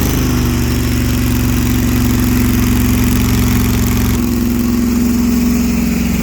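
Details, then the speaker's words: 1968 Barracuda blown big block at about 170°F coolant: a loud, lumpy idle with an uneven beat and a note that shifts partway through. The headers are glowing red with paint falling off, and a couple of dead cylinders misfire from blown head gaskets. "Yep. Head gaskets, they're fried."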